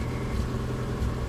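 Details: Subaru Outback with an intermittently failing fuel pump: a low, uneven, rough rumble that stays flat or nearly stalls when the gas pedal is pressed, with foul-smelling exhaust.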